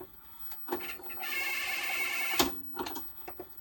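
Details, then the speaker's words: 1982 Panasonic NV-366 VHS deck, Pirates of the Caribbean tape inserted. Clicks, strained motor whirring and a sharp clunk, then scattered clicks as the tape fails to lace up; cause unconfirmed. "so the basic mechanical seem to work is it it's not lacing up properly okay"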